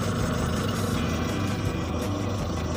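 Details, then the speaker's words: Engine misfire demonstration: lumpy, uneven low idle with a stumbling beat. Pulling plug lead 4 changes nothing, so cylinders 1 and 4 are not firing. Next step is checking spark plug versus plug cable with a screwdriver spark test. "Okey, enjin dalam keadaan yang sama. Jadi kita boleh nyatakan yang silinder nombor 1 dan silinder nombor 4 bermasalah,"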